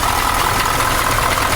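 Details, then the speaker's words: KamAZ 740 Euro-2 diesel after rebuild, idling, still consuming oil: even steady clatter with smooth regular beat and no extraneous knocks; healthy-sounding engine. "ну сейчас я вот заведу покажу как он работает вот посторонних звуков нету"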